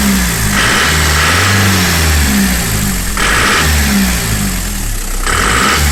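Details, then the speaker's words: Frontera 2.8 diesel, cold-started after sitting about 2.5 months, settles into a steady, even clatter. It rises cleanly with throttle blips and drops back smoothly, sounding healthy. "yeah she sounds healthy"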